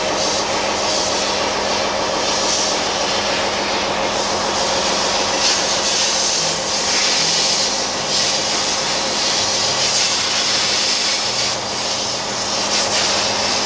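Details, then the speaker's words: Ship's diesel engine just started after oil checks and priming for initial lubrication: steady, even diesel drone with no knocks, misses or surging over faint background music; running normally. "ya setelah kita dengarkan suara Aa nya yang lega tadi"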